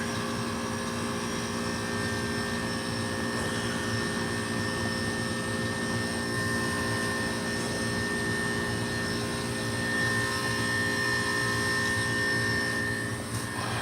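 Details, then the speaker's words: Hoshizaki ice machine that had not been completing ice cycles, running after float and tubing were cleaned: steady hum with a thin high-pitched compressor tone, signaling the freeze cycle is very close to harvest; normal. "I don't think you can hear it or notice it but right now we got a high pitch sound from the compressor and that's signaling that it is very close to harvest very close to finishing the cycle"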